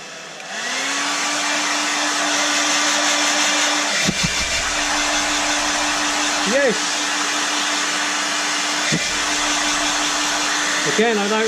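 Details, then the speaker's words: Hairdryer with a high-pitched buzzing or squealing noise (a rubbing part or dry bearing was suspected), running after it was taken apart and resoldered: a steady, even motor whine with airflow hiss and no extra buzz. Normal running after repair. "don't know if you can tell but the extra buzzing is gone it sounds like you always do"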